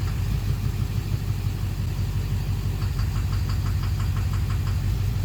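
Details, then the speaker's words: 2009 Chevrolet Duramax LMM dually diesel at morning startup, cylinder cutout test. A sharp metallic knock about three per second that gets louder whenever any injector is disabled, seemingly from the rear/center of the engine. Injector or cracked flexplate suspected. "Pretty much need to figure out where the sound's coming from. It sounds like the back of the motor. Sounds like the center."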